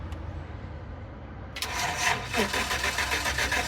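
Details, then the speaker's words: 2010 GMC Savana van with a crank-no-start fault, cut wires found underneath: steady starter cranking at about three to four beats a second, never catching. Still no spark. Crank, no start. "still no spark so we're going to be dealing with a no spark issue right now so"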